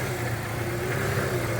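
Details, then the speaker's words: 1995 Ford F-150 4.9L (300) inline-six after replacing the throttle position sensor, with the air sensor already replaced: a steady drone with a slow, uneven rise and fall at idle. It runs better but still lopes, and the cause is still unknown. "as you see the motor is not really jumping that bad right now it is still going run run run"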